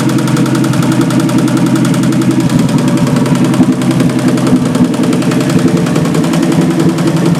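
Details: Engine after fuel pump diaphragm repair and valve adjustment, with coolant leaks and a weeping freeze plug: steady, even running with a quick regular beat and no knocks or misses, over background music; normal running.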